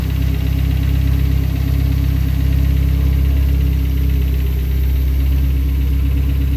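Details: Honda K24 engine running steadily with deep drone and faint regular rapid rattle on top, suspected timing chain noise despite tensioner replaced with a Hybrid-Racing unit; cause unconfirmed.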